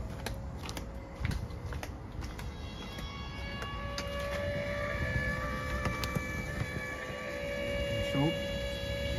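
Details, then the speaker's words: Land Rover Td5 diesel after repairing a leaking fuel pressure regulator: ignition on, accelerator pressed five times to bleed air; engine light flashes yellow and a steady electric fuel pump hum starts and holds, normal priming cycle lasting about five minutes. "il va y avoir le témoin de moteur qui va clignoter en jaune et on entend la pompe à essence"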